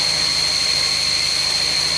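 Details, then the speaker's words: Audi S3 8L barn find, sat 9 years, first start after timing belt refresh: loud, steady high-pitched squeal over the idling engine from the clutch release bearing; clutch engages fine, no oil or water leaks. "So, what you're hearing, guys, is a release bearing on the clutch."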